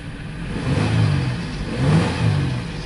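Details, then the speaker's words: 2002 Ford Explorer with a crank-but-no-start complaint, running lean on bank one. The engine surges unevenly with irregular low thumps about once a second and hunting revs, a very bad misfire. Injectors look okay; fuel pressure is suspected. "making sure charging system okay this thing got a misfire a very bad misfire"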